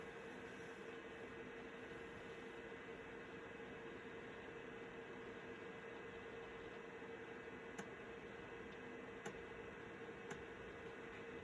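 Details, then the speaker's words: Citizen W1D floppy drive in a Compaq Armada 7770DMT laptop after belt replacement, starting a full format of a 1.44 MB diskette: quiet steady whir from the spinning disk with a few sharp head clicks near the end; normal floppy drive operation. "So I insert my diskette drive and everything looks normal so far. We're going to format it. And we're going to do a full format."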